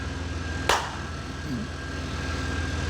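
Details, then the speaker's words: 1994 OBS truck restarted: one sharp knock, then a low steady idle with no hunting or stumbling; back to normal, though a known exhaust leak remains. "We'll give her a shot again. You ready? There we go. Back to normal."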